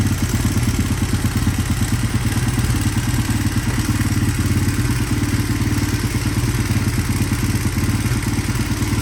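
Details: 1983 Honda XR200R, revived after years sitting, running outside with fresh gas: even single-cylinder beat at raised fast idle with light valve chatter, thought normal. No smoke, no misses; healthy.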